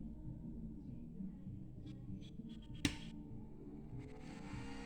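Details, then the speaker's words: Electric motorcycle (Voltron Evo) new battery pack 12 V low-voltage loom, charge lead simulated plugged in: one sharp click as the charge contactor pulls in, then cooling fans whirring; normal contactor engagement. "and you can hear that contactor indeed comes on"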